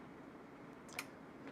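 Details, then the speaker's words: Bench power supply's internal relays click as it switches transformer taps while output voltage is raised to 20 V (current limit near 3 A) for a JBL BoomBox teardown: one crisp click, then a fainter one, over quiet hiss; normal tap switching. "you can hear it click various relays those relays are different Taps on your Transformer and actually this one here you can hear it clicking that one over there doesn't click as much"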